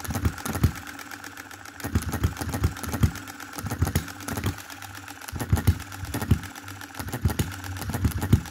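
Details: 2022 Enjomor Chinese hit-and-miss engine after fixes (spare piston ring, corrected valve timing, leaded governor weights, added spring for quicker latching): sharp firing pops in short bursts, quiet coasting gaps, slow even speed; normal governor operation.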